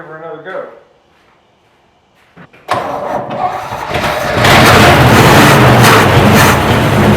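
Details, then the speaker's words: 1968 Chevy C10 V8 truck, parked about 15–16 years, started on carb cleaner and old fuel: brief cranking, then it catches and settles into a steady strong running beat; fires right up with good oil pressure, normal start and idle. "man this truck runs so good she'll fire right up"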